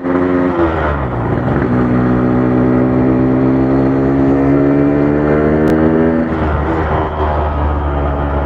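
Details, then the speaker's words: Yamaha RX King two-stroke revving hard and holding high revs with a rough, buzzy edge; it shakes heavily even at modest revs, and the clutch slips at high rpm but not low, blamed on the clutch housing; heavy vibration at high rpm. "pak ini brutu saya seperti dietrum padahal cuma segini loh"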